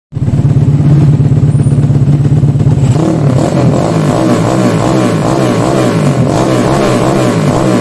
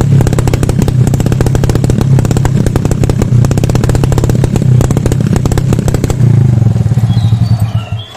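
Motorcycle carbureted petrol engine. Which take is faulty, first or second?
second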